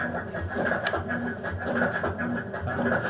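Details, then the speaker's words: Brastemp BWK 16 washer agitating: rhythmic low clunking about twice a second over a steady hum, continuing after a new cam was fitted; cause is a worn agitator transmission. "eu coloquei o Cam Novo nessa lavadora tá e ela continua fazendo o barulho"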